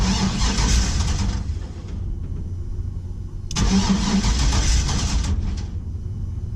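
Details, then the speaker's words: 1949 International KB2 with an E38 ECU with a basic tune, 6L90E transmission, and over-a-year-old fuel in the fuel cell. Two short bursts of even starter cranking at about three to four beats a second, but it doesn't catch; old fuel is suspected. "uh-oh she don't want to start anymore"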